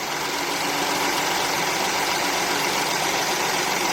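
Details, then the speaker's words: V6 car, started first try on a Hulkman 85S portable jump starter: steady even idle with a smooth hum, no knocks, misses or surging, normal idle. "this is the hulman 85s or 8.5 we hear the chiming going car started up on the first shot with the hulman 85s"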